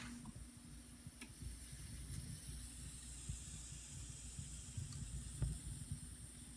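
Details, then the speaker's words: Reel-to-reel playback on an old Sony tape through a Sony speaker, no program recorded: soft, even, rain-like hiss; plain tape noise played back without dbx noise reduction. "So here it is. It sounds kind of like rain, actually."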